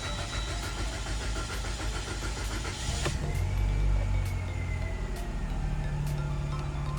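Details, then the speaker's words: Mitsubishi Lancer X first start after fuel tank replacement (leaking tank, petrol smell), fuel pump priming unclear: several seconds of uneven cranking, then it catches and settles into a steady normal idle. "Пришлось маленько покрутить, конечно, но во всяком случае запустилась без проблем. Машина сейчас работает и в принципе все нормально здесь."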